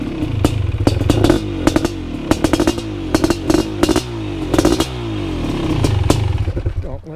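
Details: First startup of a fresh BRC 500 engine kit in a 2015 Husqvarna TE 250 with SmartCarb 40mm billet carb, TPS and PowerCDI ignition. The single fires and catches, then sharp throttle blips rise and fall cleanly with no knocks or misses; healthy build.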